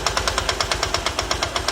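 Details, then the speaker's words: Honda Titan 150 motorcycle with its original cylinder, previously run while the oil pump wasn't feeding the top end. At idle, sharp, dry tapping about nine times a second comes from the top end, like valve tap. An earlier part swap didn't fix it. "Barulho seco. É como se fosse bater na cabeça da"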